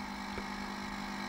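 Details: 1987 Sinclair ZX Spectrum 128k +2 on AA batteries, supply sagging toward its 6.4 V cutout (normally 9 V, 2.1 A): steady low buzz under a hiss just before the computer cuts out and then won't restart.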